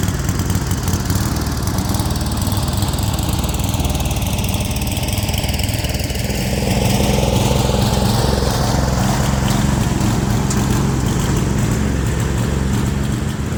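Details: Speedex 1630 garden tractor, its single-cylinder small engine on a new carburetor with the old head gasket reused, running again after years: the engine putters unevenly with a wandering beat and slight speed swing, running rough rather than idling smoothly.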